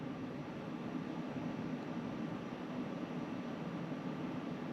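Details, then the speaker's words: Pioneer Diamante 9k ductless mini-split indoor unit in a woodshop, first start-up after line install and vacuum, in cooling mode: steady even airflow hiss, no rattles or pulsing. "it looks like this is working just fine all right 5 minutes it's dropped it 4° in here it's working just fine"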